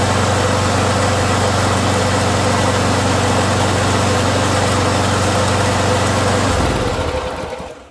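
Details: Small lawn mower engine after fixing backfiring caused by a rocker that had lost its valve cap: runs smooth and steady with an even beat, no pops or misses, then winds down cleanly when shut off.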